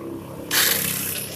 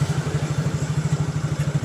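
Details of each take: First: Yamaha Mio J scooter, electric starter pressed: starter whirs up to a high free-spinning whine with no engine turnover or compression beats; one-way starter clutch slipping (nge-LOS) with broken bolts, so the engine neither turns nor starts. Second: Yamaha Mio J scooter after repair of a slipping one-way starter clutch: steady even putter at idle with a regular firing beat fading gently near the end; engine running smoothly.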